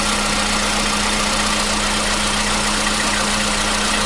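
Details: 2015 Volkswagen Polo Sedan, 76,000 km, cold start on a new battery. It had knocked on cold starts for years; it now catches and settles into an even, fast cold idle with no knocking: normal cold start.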